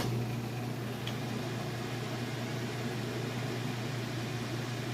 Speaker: As you can see, it's nice and smooth. It's not shaking or wobbling or anything like that. No weird noises. Sounds good, it's running good.